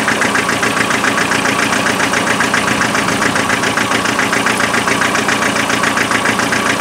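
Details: Land Rover 2.5 naturally aspirated diesel idling with an uneven, lumpy beat, about two and a half pulses a second, a misfire; thermal camera showed the rear cold, and the four injectors were spray-tested in the air.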